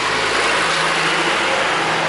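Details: Toyota Corolla that had clicked and failed to start in the morning, blamed on a roughly four-year-old battery, idles smoothly with a steady hum and no clicking or stumbling after a battery was fitted; running normally.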